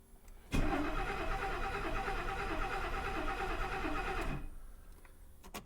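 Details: 1969 Mercedes 280SE sat for years, with a repaired mechanical fuel injection pump fed from an external fuel tank, on a first start attempt. The starter cranks steadily about three beats a second for four seconds; a cold start solenoid is suspected. Crank, no start.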